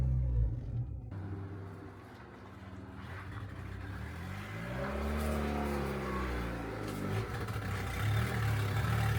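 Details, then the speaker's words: Turbocharged Honda Integra that ran fine on two road trips, then sat about three weeks: under throttle it bogs and won't rev past about 3000 rpm, feels like it wants to die and has stalled. An overtight timing belt screeches. "So the main issue that it's having right now is it does not want to rev anymore. Basically, when I give it gas, it just bogs. It doesn't want to go past 3,000 RPMs. It just feels like it wants to die."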